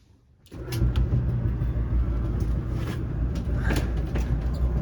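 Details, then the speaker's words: Apartment dryer booster fan behind the secondary lint trap, which was full of lint: steady low droning hum with a faint uneven shudder, mild fan vibration, probably from lint buildup on the fan. "is on pressure you can hear the fan vibrating it's not too bad but there's probably a lot of lint on there"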